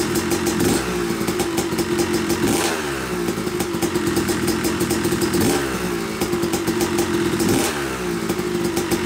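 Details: Yamaha YZ250 two-stroke (270cc/250cc) motocross bike, first start after a full engine rebuild (bottom end, transmission, bearings, clutch, power valve), took a few kicks: crisp ringing steady crackle, revs blipped up and down cleanly every couple of seconds; smoke from assembly oils normal; runs normally.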